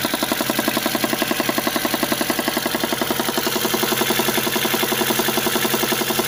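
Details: VAZ engine, cold: steady idle with a crisp even knock about four times a second, which disappears once the engine warms to 50°; cold engine knock, cause unclear.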